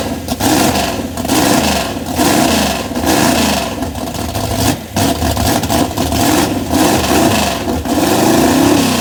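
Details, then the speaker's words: Race car carbureted V8 after Holley 4412 carburettor rebuild with new gaskets, cold weather, timing likely off: repeated blips rise a beat late and soft; throttle response slightly better but still lagging, owner suspects vacuum leaks. "as I'm sure you guys can hear it does have a little bit better throttle response but it is still lagging up"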